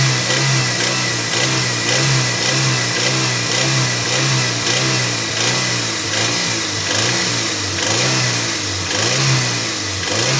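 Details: Toyota MR2 Mk3 Roadster, laid up for a long time, now on fresh fuel and a new battery. Steady mid-rev engine note with a light metallic rattle pulsing about once a second, occurring 2200–2500rpm. Source unknown; part 1 of the diagnosis.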